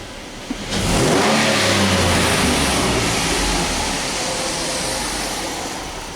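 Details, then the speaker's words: 2010 Dodge Nitro 4.2 L, bank 2, codes for cylinder 4 misfire, multiple misfire and catalyst efficiency: engine revs hard from idle but turns ragged and uneven at wide open throttle, cylinders 4 and 2 fine until full throttle, cylinder 4 misfiring. "Now this is my problem number 4, and now this is number 2, and you know, they're all pretty much okay until I do wide open."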